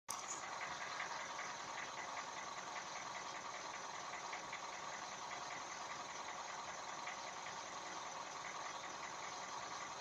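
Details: Toyota 1NZ engine running steadily with a faint, uneven tapping riding over it, about two or three a second. Engine knock, cause not clear.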